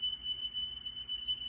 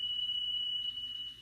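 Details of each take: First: Car stereo cassette deck after drive motor repair and speed adjustment, playing a test tape: a clean, steady tone near 3 kHz with no pitch wavering. Correct, stable playback speed. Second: Car stereo cassette deck playing a test tone with massive, intermittent tape speed flutter that comes and goes; belts already replaced and deck cleaned and lubricated, so the failing speed-regulated drive motor is blamed, to be repaired.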